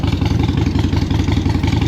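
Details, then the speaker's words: Used Harley-Davidson Iron 883 V-twin after fresh full battery fitted, electronics checked: steady even loping idle beat with no knocks or odd noises, healthy idle. "good, brake lights, electronics all good, seems to be running all right, sounds good."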